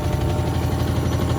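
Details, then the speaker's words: Hotpoint WMXTF942P washing machine at full-speed spin with a full load; loud heavy throbbing rumble, tub shaking excessively. Spin vibration from shock absorbers that are more than likely dry. "That is quite excessive. More than likely the dampers are dry."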